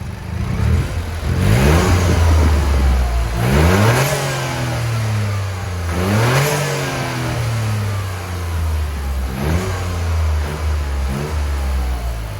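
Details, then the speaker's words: Toyota GR Yaris, 1,600 miles, aftermarket GPF-back exhaust, stock filter before ITG panel filter fitted, engine warm: clean revs climbing and falling smoothly, no knocks or rattles; healthy. "Right, so now we're up to temperature with the engine and everything. Let's give it a few revs."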